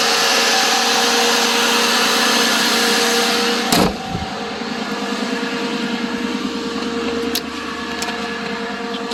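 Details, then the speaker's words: Chrysler Pacifica 3.6 Pentastar V6 idling whisper-quiet with a soft, even hum and no squeal or chatter after the leaking plastic oil cooler under the intake, intake gaskets and spark plugs were replaced. Normal idle. "Oh, she's whisper quiet. Listen to that."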